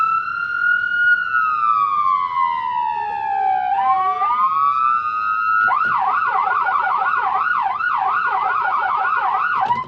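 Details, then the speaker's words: 2011 Leader ambulance siren in dual mode: two tones slide down and up, overlapping in quick warbling yelp like several ambulances at once; working normally. "now we got mono or dual so if you want to sound like an armada of ambulances are coming you can hit dual and it'll sound like multiple"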